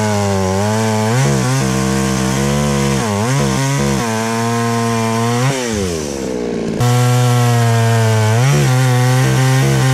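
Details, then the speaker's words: Chainsaw after its carburetor high-speed screw was adjusted: low speed had been fine but high speed bogged. It now starts easily and idles evenly, then revs cleanly up and down through the cut with no stumble or bog. Healthy running with good power. "all right so this chainsaw seems like it's running very well now it's starting pretty easy it idles well it has good power"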